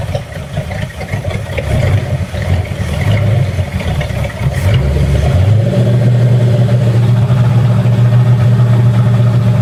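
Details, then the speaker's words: Boat engine after exhaust ports repair, the previous day's noise now gone: steady even idle, then clean rise to a higher held speed, no ticking, puffing or leak noise, oil pressure rising; normal running. "And oh, and also you'll notice, or you may not notice, which is a good thing, there's no more of that noise that we had yesterday that alerted me to the issue with the exhaust ports."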